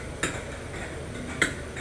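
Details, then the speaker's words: Trailer coach air system of a train at the Greatest Gathering, Derby: two crisp ticks about a second apart over a quiet hiss as the air is regulated out and moisture expelled; automatic drain valve working normally. "The ticking noise you can hear is the air basically being regulated out and it's kicking moisture out the air system."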